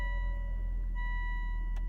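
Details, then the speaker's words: Car that started and immediately died because it was out of fuel, after adding one gallon of gas: low steady idle rumble with even beat and a chime, no stumble or dying; normal idle. "put some gas in it see if that fixes it or not put only a gallon in it and that fixes it"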